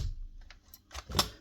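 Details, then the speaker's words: Paslode IM350+ cordless nail gun, fuel cell removed, motor dead: few light dry clicks as trigger is pulled; spark unit discharging normally inside cylinder head, fault is the motor. "That's the actual spark being discharged inside the cylinder head. So, the spark unit here is good."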